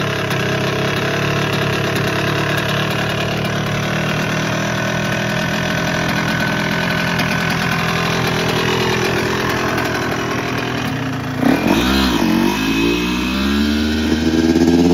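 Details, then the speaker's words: Yamaha YZ125 two-stroke dirt bike under repair: flat subdued idle, then a blip that stumbles before revs slowly climb, lacking the usual sharp crack; mechanic suspects power valves broken or stuck. "it don't even sound loud like it's supposed to that thing supposed to be loud boy I don't know what"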